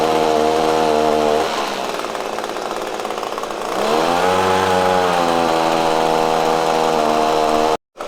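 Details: Echo PB-250LN handheld two-stroke blower after fresh fuel mix replaced old fuel: buzz sags and labours, then climbs back unevenly and hunts; still bogging under throttle, carburetor mixture needed adjusting.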